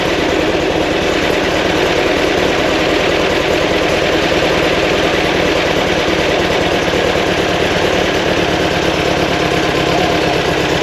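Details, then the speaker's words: Fresh 2180cc VW air-cooled flat-four for a 1968 single cab, break-in run after timing was set; even, steady fast idle around 1200 rpm, set a little high for easier driving, with no misses or knocks. "so high on the Isle here right 12 Hunter is that what you like I a little high makes it easier driving"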